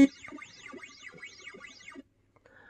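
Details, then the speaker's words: Williams System 9 Space Shuttle pinball CPU board under repair, sound test in test mode, still crashing even with known-good CPU and ROMs; rising and falling electronic sweeps, then sudden silence with faint blips; sound output cutting out. "second test is sound there we go so we got a whole bunch of noise and then it's cut out and then we don't get"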